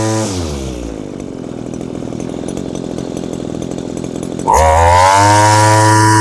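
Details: Old Echo curved-shaft string trimmer powerhead, small two-stroke: running rich ("two-stroking quite a bit"), so the high-speed mixture is leaned; the steady buzz jumps sharply higher and holds, stopping short of max speed to avoid running too lean.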